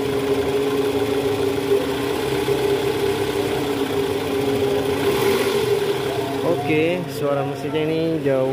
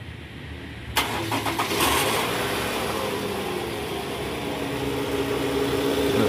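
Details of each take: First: 2009 Toyota Vellfire 2.4L after replacing worn, loose balancer shaft that caused a rough growl from the oil pan area in D/R with A/C on: smooth steady idle hum, no shake or rattle; normal idle. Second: 2009 Toyota Vellfire/Alphard 2.4 L 2AZ engine: coarse gritty "krrr" rumble from the oil pan area at cold morning start, in D/R with A/C on; balancer shaft found loose and worn.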